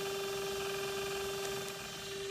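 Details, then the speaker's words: Mikron TH-5104 thermal imaging camera (about 1996), single-point bolometer swept by two rotating X-Y steering mirrors, running after startup cooldown and shutter spin-up: steady mid-pitched hum with faint mechanical hiss as the scan mechanism operates normally, detecting the person in front. "and there we are now the camera is operating and I'm sitting in front of it so it's detecting me so there we are the Imaging camera is functioning properly everything is ready to go"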